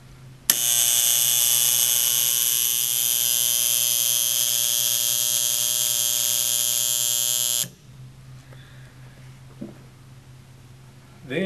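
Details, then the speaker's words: Harsh, loud electrical buzz from an AC ASCO solenoid valve, beyond the normal slight hum; the valve is not bad, just needs a little maintenance after depressurizing and draining. "it's common for any AC valve to have a slight hum to the valve however when the slight hum changes to a"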